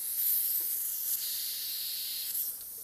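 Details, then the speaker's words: 2005 Honda Accord AC condenser, engine off, low side fed about 40 psi compressed air: steady sharp hiss escaping through a small pinhole in the condenser; condenser is shot, likely why the AC isn't working. "You hear it? Look at that. We have a small hole. Yeah. So, this condenser is actually shot, and that's probably why this gentleman's air conditioning is not working."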